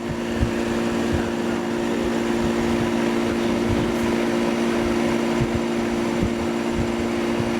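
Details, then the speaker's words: 1988 Tempstar AC condenser after fitting a new fan motor to replace the seized one: steady low hum under an even fan rush, no rattles or scraping; runs smooth and healthy. "all right direction sounds healthy"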